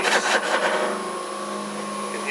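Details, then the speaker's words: Buffing a wide bowl's inside with the large Chestnut buffing wheel on a lathe: steady whir with uneven rough scuffing bursts as the wheel grabs and judders instead of abrading; more red buffing compound is then applied. "can hear it grabbing a bit there. When it starts to judder, it's beginning to grab rather than abrade."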